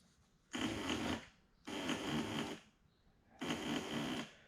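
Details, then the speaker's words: 2009 Honda Rubicon TRX500 ATV with a battery that drains overnight (parasitic draw suspected). Pressing start gives three bursts of rapid starter-relay chatter with no cranking, indicating low voltage from a possibly discharged battery or a bad connection. "we can hear the re-starter relay and started was clicking it means we're not getting enough power down to the starter and possibly battery is discharged"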